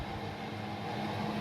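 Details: Newly installed Chinese diesel air heater in a UK self-build camper van, running full output with very hot outlet air: steady even fan rush over constant low hum, no surging, knocks or stutter; working normally.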